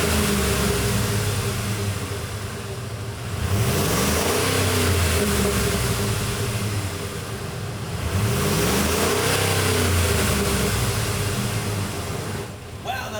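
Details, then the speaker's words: 2004–2008 Ford F-150 5.4L V8 after new aftermarket muffler and exhaust install, warmed up: two smooth revs with a mild, stock-like even exhaust note, no rattles or leaks. "Mild note, it sounds really stock and nice. I really like that. It's not too much."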